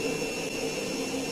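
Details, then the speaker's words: Siemens washing machine with drum spinning: steady hollow roar with a high whistling tone like a distant jet engine. The drum bearings are worn and due for replacement. "Yani bu sesi iyi dinleyin. Bunun daha böyle aykırısı, çok olanı jet motoru gibi çıkar."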